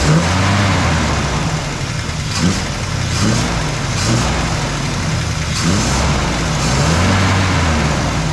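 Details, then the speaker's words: Small block Chevy V8 in a 1972 Nova after Edelbrock cam, intake and carburetor install, just after cam break-in at 2200–2800 rpm: rough revving with light ticking following speed; valve train noise before valve adjustment, exhaust leak suspected. "We just broke in the cam. It 20 minutes for 22 to 2800 RPM, kind of varying. We got to do a little bit of our valve train noise."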